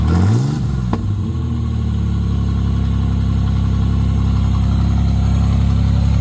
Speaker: so that is a running 87 Fiero GT with custom exhaust